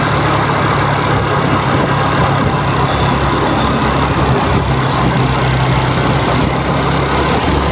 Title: Jupiter 113 engine noise issue tamil 2026 #tvsjupiter @tvsmotorcompany